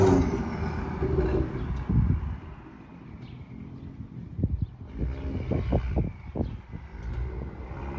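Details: BMW M2 with KW coilovers, driving: a few sharp clicks through road and tyre noise; brakes, lower control arms and wheels already checked, coilovers suspected, origin unconfirmed.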